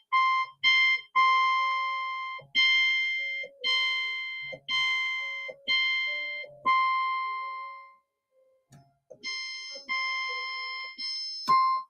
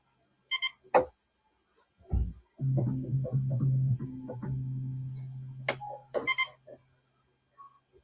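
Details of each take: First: Yamaha CS-60 synthesizer during capacitor replacement and voice board adjustment: one note repeated about twice a second, each voice slightly off pitch from the others, showing tuning differences between voice boards. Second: Yamaha CS-60 synthesizer, M board voice VCO being adjusted during capacitor replacement, low C checked: low steady note about three seconds without drift or wobble; VCO in tune.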